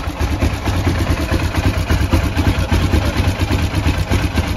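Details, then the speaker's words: 2015 Polaris Ranger after water was found in the fuel tank: engine runs rough, surging and sagging; pressure fell from about 38 psi, and the pump won't build or hold pressure, below the 38–60 psi spec; weak fuel pump. "typically these these systems run anywhere from 38 to 60 psi um so if you're anything really anything below 38 you got a weak fuel pump and this one's obviously weak"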